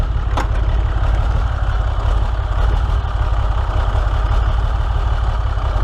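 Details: Ram 6.7 Cummins diesel, seller claimed a bad injector: deep steady idle rumble with a faint uneven beat, a bad lope; cause not yet diagnosed, scan tool pending. Rough idle.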